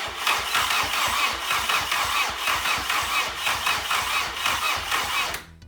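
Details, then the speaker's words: Nissan Micra with swapped Audi/VW 1.8T engine, first crank with nothing else connected: starter spins it over with an even chuffing rhythm for about five seconds, never catches; normal cranking, not expected to start. "I think we're ready to turn the key it's not going to start because nothing else is connected but we'll at least see if it turns over"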